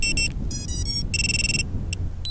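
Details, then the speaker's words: Hellgate FPV lost-drone buzzer disarmed by plugging the quad battery in for between a second and four seconds: short bursts of high electronic chirps over a low rumble; disarm confirmation chirp, normal. "yeah the way we have to disarm this now once again is to plug our battery in for between the second and four seconds"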